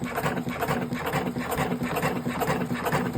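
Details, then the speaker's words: Electric cigarette rolling machine running at 100% speed, set for 47 cartons per hour; even mechanical clatter repeating about twice a second at constant pace with no stumbles, running smoothly. "dediğim gibi hızımız % 10000 bu makin saatte 47 kartona göre ayarlanmış"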